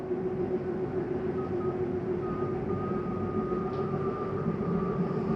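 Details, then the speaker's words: Slide number three retracting on a 2023 Jayco Eagle 30.5 RSOK fifth wheel, bottom coming in first: smooth electric motor drone with a faint rising whine and no binding. The end noise is normal, signalling it is fully in. "that noise is okay to hear that's just a slide mechanism telling me that it's all the way back in"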